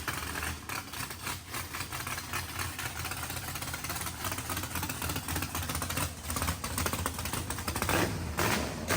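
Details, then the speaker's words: Mississippi Queen V8 after first start following fluids, oil change, plugs and fuel flush; exhaust had been full of water. Steady, even idle with a smooth regular beat, no knocks or rattles. Sounds healthy; needs throttle blade, fuel pressure sensor reading erratically. "sounds healthy. That's good."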